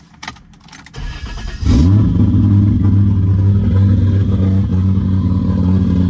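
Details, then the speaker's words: 1JZ-swapped BMW E36, first start in over 10 years after ECU remotely retuned, new battery and constant fuel pressure: short crank, catches at once and settles into a steady, even idle with no misfire. "I am super stoked the car finally runs. We still have a bit of work to do"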